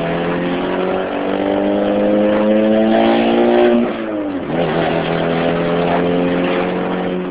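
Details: 2006 Chevy Cobalt SS supercharged, modified: engine revs and settles with loud, raspy raw exhaust tone from an exhaust leak at the header/downpipe joint.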